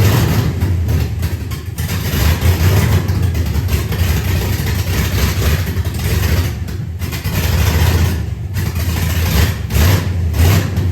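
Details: LS engine swap in an SS 454 tribute truck, first run after refitting the correct intake manifold. Low, steady V8 burble with a few throttle blips settling back to even idle: normal idle.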